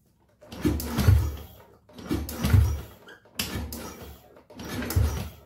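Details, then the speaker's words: Honda Beat ESP scooter with a reported total no-start, after a faulty ground signal was traced: four short dull groans, starter barely turning and never catching; battery too weak to crank, so kick-starting is tried next. "Tidak kuat akinya. Coba kita engkol."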